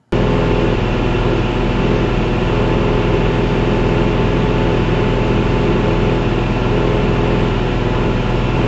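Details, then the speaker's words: Experimental canard aircraft engine at 2,500 rpm cruise with new propeller: steady drone with slow slight pitch rise and fall, engine surging about 20 rpm; ignition issue suspected. "If you can hear in that video, it's actually the engine. The engine is actually surging up and down 20 RPM."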